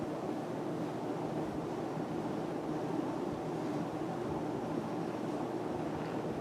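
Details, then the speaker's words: Emerson Casablanca Classic ceiling fan, 3-speed, running on high; one warped blade gives a slight wobble: steady even airy whoosh, no knocks or ticks; normal running on high speed. "The fan is very quiet, and it is also very powerful."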